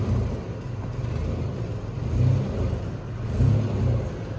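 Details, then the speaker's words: Chevrolet Blazer: deep raspy exhaust rumble at idle with two small rev swells, from a blown flange gasket leaking exhaust. "Okay, let's get a clip of this exhaust leak."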